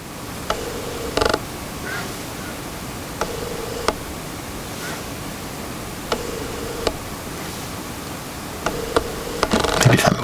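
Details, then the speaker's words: Sigma 24mm f1.4 DG Art lens on Canon R6 via EF-to-RF adapter, camera-mounted shotgun mic next to lens, quiet room: short faint whirring buzzes every second or so as the autofocus motor hunts. "a little bit there we go so that's the kind of noise it makes um it's really unfortunate"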